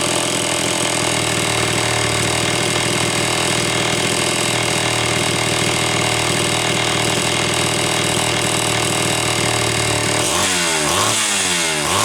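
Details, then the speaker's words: Homelite Super XL chainsaw (brought in for boiling fuel and overheating) on test run after starter spring fix and replacing a bad new spark plug; sustained full-throttle buzz without surging, then winds down; high side set slightly rich on purpose to warm it up; healthy. "oh man she's just a tiny tiny bit Rich still on the high side but I did that on purpose that way I could run it pegged like that to try and warm it up a little bit"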